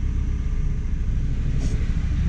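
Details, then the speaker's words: 2014 Hyundai Elantra with P0304 cylinder 4 misfire, idling, injector for cylinder 1 disabled by scan tool: idle becomes deeper and lumpier with uneven low thumps, confirming cylinder 1 was contributing. "and it very clearly did"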